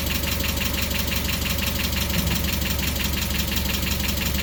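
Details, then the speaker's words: Mazda Miata just restarted after the intake was completed and fittings tightened, supercharger belt pulley not yet fitted: steady, slightly low idle with an even light tick about three per second and no loose rattle. Normal idle. "[Music] so there you go engines running everything spinning around"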